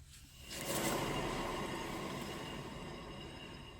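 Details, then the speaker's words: 2013 Subaru XV Crosstrek with about 119,000 miles, rear wheel spun by hand, giving a dry, rushing grinding rumble that fades as it coasts. Worn rear wheel bearing, said to cause loud humming at highway speeds; both rear hub assemblies need replacing. "this is heavy heavy grinding and that at the highway speeds will cause real real loud humming from the back"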